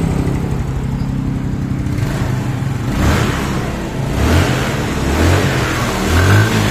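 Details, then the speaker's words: Yamaha Mio Sporty scooter after rebuild for lost compression, final test with seat fitted; exhaust leaks but no longer smokes; steady idle picking up cleanly into smooth revs with no misses or knocks; stable idle, engine healthy. "ini sudahah engak ngebul dan juga ini stabil ya langsamnya kita mau coba"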